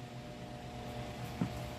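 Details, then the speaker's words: Electric fan on maximum speed, 110/220 selector switch set to 110 on a 110 V supply: faint low hum, weak steady drone and a small click, running very weakly; suspected bad capacitor or motor short, found to be burnt windings. "vou ligar o ventilador ó no seu máximo tá vendo ele tá bem fraco vou mexer aqui ó mais ainda"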